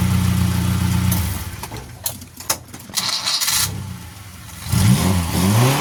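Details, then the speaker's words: Suzuki Carry 1.0 after swapping the bottle-type coil for a Baleno, Karimun or Estilo coil: engine cranks, catches and settles into a steady, even low idle with no stumble; smoother, more stable and healthier than before. "Ini suaranya, Lur. Aduh, anteng, Lur. Lebih stabil, lebih anteng, lebih adem rasanya, Lur."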